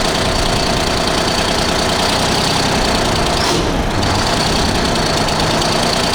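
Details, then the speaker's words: 1975 Freightliner FLT with a Detroit Diesel V12, revival start: a steady, lumpy diesel idle settles into an even beat once the dead cylinder picks back up, likely after air cleared from the new injector. It now runs on all cylinders, with oil pressure of 20–25. "Did you hear it come back? Yeah. What do you do? Nothing. I think it had air in it. That was That was probably the new injector and hadn't filled the body completely yet."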